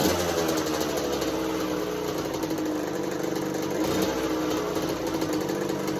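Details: 1986 Kawasaki KX125 two-stroke in neutral, clutch in, choke held up, with a new NGK BR10EG plug. It fires right away with a buzzy, wavering mid-rev note but won't idle; the new plug didn't fix it.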